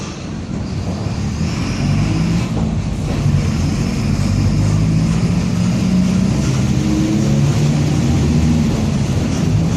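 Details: 2007 Torino bus on Mercedes-Benz OF-1722M chassis (Grande Londrina 4178) cruising: a steady low rear drone with a faint growl that holds with road speed, worn differential whining under load.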